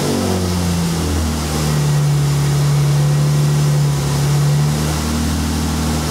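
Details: 2002 Mercury Cougar 2.5 L, electronic returnless fuel system, starting while pump current is measured on a scope: engine catches and runs with a strong, steady low drone, pitch stepping up and settling as it revs; about 40 psi fuel pressure; normal running.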